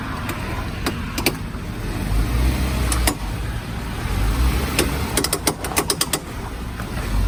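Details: Lifted Jeep JK creeping in four-wheel drive and reverse, heard with the window down: sharp clicks over the low engine rumble, louder in turns and absent in two-wheel drive. A torn boot ruined the front driveshaft CV joint; the fix is an aftermarket 1350 driveshaft.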